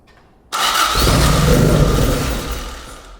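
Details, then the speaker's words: Toyota AE86 Corolla 4A-GE with cams, dual Weber 48DCO sidedraft carbs and an ignition box, first startup: fires instantly with a sharp bang, then a strong rough-edged rev that settles; a clean, healthy start. "I thought it would work but you never know you know and it just fired right up like no problem"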